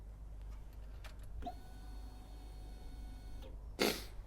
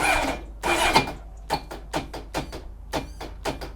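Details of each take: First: Honda CBR1100XX Blackbird motorcycle with reworked fuel rail feed fitting, ignition on before starting: quiet, steady electric hum for about two seconds, then a click as it cuts off; fuel pump primes normally, no leaks. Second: Honda Blackbird CBR1100XX, in neutral with no neutral light, suspected seized engine: repeated short clacking bursts while the engine never spins up. The starter can't turn it over; the battery is checked next and reads 12.6 V.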